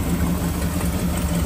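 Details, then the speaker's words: Ford bullnose truck with hard starts, after the ignition timing was retarded about 6°, warming up before carburetor adjustment: low, steady idle with an even pulse and no misses or knocks; it started better than ever. "I'm going to let her get warmed up good but right now I mean that's better than it's ever started since I've had"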